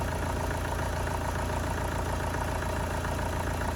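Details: Astra van diesel after engine change (old engine's water pump leaked): steady idle clatter, fairly even beat; runs sweet, though possibly a slight low-rev misfire, other injectors may be changed.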